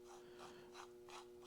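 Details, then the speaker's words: Farmall Super M tractor clutch throwout bearing, removed and spun by hand during engine rebuild: dry, gritty rasping in quick strokes, grit inside; bearing to be replaced. "I don't know if you can hear that. Sounds like there's a lot of grit in there. So I think Connor's ordering a throwout bearing."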